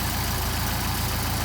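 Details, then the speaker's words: Mercedes 190SL with tested Solex carburetors, cold start at about 57–61° on choke, no temperature yet: smooth even low idle beat, no misses or knocks; carburetors running well, nice cold idle. "all right we already got a nice idle cold so what we're going to do is wait for this thing to warm up"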